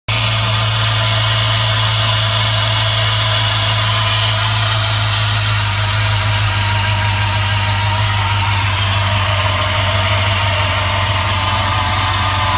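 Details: 2004 4.7L HO V8 at cold idle with a faint light tapping from the bottom and rear of the engine; it goes away at operating temperature. Cause unknown.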